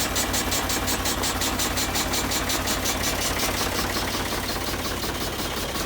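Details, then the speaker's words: Vintage E.S Hindley cast PTO saw bench, believed unused about 20 years, first run on a Ford 4000 tractor PTO after a light grease and oil: tractor chugs evenly, saw spins freely with a steady whir, no grinding or nasty noises. "I think I only had a little initial grease up and oil up and whatnot it's all R freely No nasty noises"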